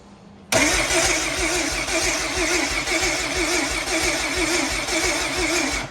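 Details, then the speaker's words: Rear-wheel-drive race Honda Civic with a slow-cranking complaint: starter spins the engine at an even, steady beat for about five seconds and it never fires; no spark and no fuel. "Nope. No spark. No fuel."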